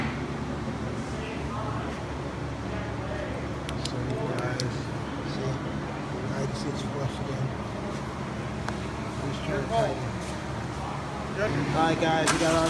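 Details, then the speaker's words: 2006-2011 Honda Civic R18 with turbo, after tightening the turbo joint studs with the downpipe loosened: steady even hum with no puffing or ticking; exhaust leak fixed, normal running. "that sounds so much better don't hear it leaking that sounds normal though"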